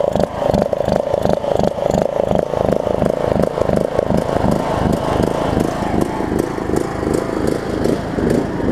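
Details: John Deere LA105 riding mower, unrun about three years, after tank cleanout and carb cleaning, cold about 40°F, carb float suspected stuck and dumping gas: stumbles and pulses unevenly about three beats a second with clattery misses; surging badly.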